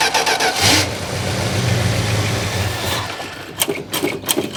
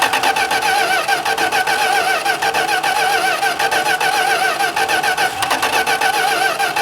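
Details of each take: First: 1971 Plymouth Road Runner, possible 340 H-code V8: catches quickly and settles into an even, smooth idle with no ticking from the top end; sounds healthy, though carburetor needs rebuilding for a non-working diaphragm. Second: 1971 Plymouth Road Runner cranks at about three and a half turns a second but never catches; a diaphragm is suspected of doing nothing, no fuel delivered, and the carburetor is to be rebuilt; crank, no start.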